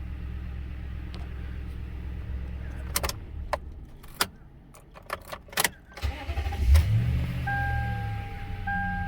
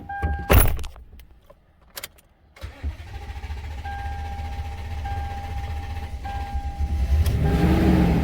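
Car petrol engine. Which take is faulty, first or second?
second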